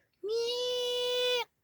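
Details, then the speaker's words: 1993 Toyota Hilux SW4 2.8 3L 4x4: a steady, fairly high squeal under light braking, like worn pads grinding metal on metal, although the disc is fine and the pads are thick and new; owner suspects the pad clips. "aquele barulho que faz quando pastilha tá velha já já gasta sabe que tá tocando metal com metal"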